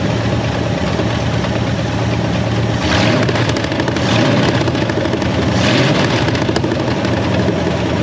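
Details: 1967 Ford Mustang fastback rescued from West Virginia: lumpy, stumbling idle with occasional surges; suspected miss, thought due to heavy corrosion, not confirmed.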